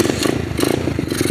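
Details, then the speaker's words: Apollo RFZ 125cc pit bike, held at low revs before the carburetor pilot air/fuel screw fix: choppy, surging running with loose clatter, and it won't idle. The owner suspects an air leak at the intake spacer. Rough low-rev running. "kind of diagnosing why this thing runs like crap in the low end, doesn't idle. I think it has an air leak at the intake spacer."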